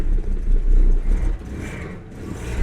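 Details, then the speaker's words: Jaguar XJC with Stromberg 175 carburettors and water chokes, cold start after sitting ten hours: low, uneven idle swelling and sagging about every second; runs rough, seems to need a bit more choke, choke being adjusted. "could use a little bit more choke I think"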